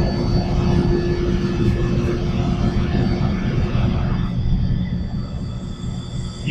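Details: Shinko steam turbine generator in a lab, raised to its rated 1800 RPM with no load connected; steady smooth roar with an even mid-pitched tone, no knocks or rubs, quietening as the enclosure door closes; running normally at speed.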